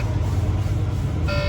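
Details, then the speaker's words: Semi truck with air system failure, pulled off near a service center: a short sharp buzzing tone over low diesel rumble signals low system air pressure in the brake system. Low air pressure warning buzzer. "So low system air pressure."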